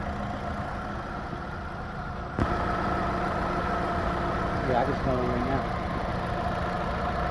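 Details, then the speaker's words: 2011 Chevy Aveo 1.6L smoking coolant from tailpipe, cooling system pressurizing: idle with uneven lumpy beat and stumble every few turns; misfire on cylinders 1 and 2, suspected blown head gasket or cracked head. "all right cylinder 2 misfire one and two"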